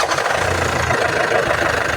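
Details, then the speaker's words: Nissan Terra diesel with heavy smoke and diesel leaking at the intake: an uneven idle with a dull knock under the clatter and an unsteady beat; rough running, which the mechanic suspects comes from the converter underneath. "Ayan, pangit ng andar kasi doon sa converter sa ilalim. Ayan o. Ayan. Sige pre, revolution mo pre. Ayan o, ang usok."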